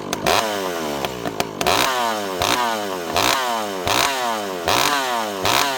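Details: Rebuilt ported 064 whose low jet previously wouldn't tune, fitted with a new carb, warming up after a dry start: repeated quick blips from idle to a high scream, each dropping back cleanly and quickly to idle; healthy.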